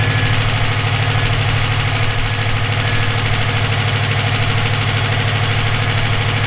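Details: EJ257 at idle: a sharp, persistent metallic knock about three times a second lies over the steady idle, present for about 17k miles since purchase; owner suspects rod knock, a spun bearing or valve lash. Cause unconfirmed.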